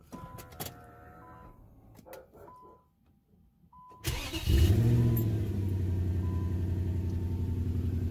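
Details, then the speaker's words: 2003 Infiniti M45 salvage car, restarted after running smoothly the night before: cranks, catches, then runs with an uneven pulsing beat and faint arcing pops; misfire suspected from a failing ignition coil pack, about to be replaced. "I'm gonna switch the coil is more than likely that's coils and I can kind of hear a popping noise like it's arcing so I'm pretty sure it's a coil pack"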